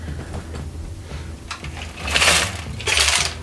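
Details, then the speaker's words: 1994 Chevrolet S10 Blazer 4.3L V6 old muffler, removed and shaken by hand: loose rust flakes hiss and trickle inside like a rain stick; internals rusted apart, replaced with a Cherry Bomb muffler. "can hear it's full of rust and real nasty. It's like a rain stick."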